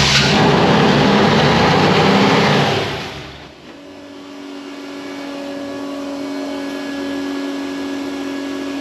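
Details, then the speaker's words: Supercharged V8 Chevy C10: engine races at high speed and won't come back down even with throttle fully off, then is shut off and winds down; runaway high idle from a vacuum leak at the blower. "That thing was going to take off. That's why I shut it off."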